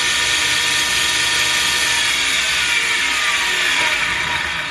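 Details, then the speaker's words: 2x72 belt grinder with one idler wheel that won't spin freely, running: fast rough rattling whir with dry ratcheting edge over belt hiss, belts blackening from drag; worn idler wheel bearing, to be replaced. "so the bearing shot on this one we'll just prove the point by hooking it up and see if we get that all that racket through this one and if i'm right it's going to make that noise"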